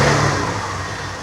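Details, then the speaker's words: TVS Scooty Pep+ after CDI unit replaced and new carburetor fitted (previously stalled on throttle): engine revs up and settles back smoothly on throttle release, no stumble or stall. Normal revving; carburetor was the fault. "మంచిగా bend బండి ఏ problem రావట్లేదు చూడండి మళ్ళీ raise అవుతుంది చూసారా"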